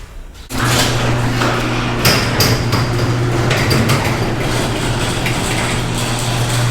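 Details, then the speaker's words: Garage door after lithium grease spray on chain and track to cure squeal on closing; steady motor drone with light clunks and a slight groan, no squeal; normal garage door operation. "so i didn't hear a squeak i heard it try it it made a little bit of a grown but that was it that's a lot better than it was"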